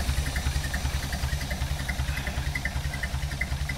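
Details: 1931 Horch 480 Sport Cabriolet, freshly rebuilt 5 L straight-8, well warmed up and still running in: steady, even low thump about 160 beats a minute, no knocks or ticks; healthy normal idle.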